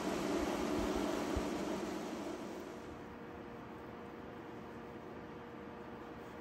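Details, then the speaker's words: EVGA 240 AIO CPU cooler refitted with Noctua fans, stepped from silent through standard and turbo to max: steady, even, airy rush with no ticking, grinding or buzzing. Fans run smoothly at top speed. "All right, so I'm gonna crank it up to standard. Turbo. Max."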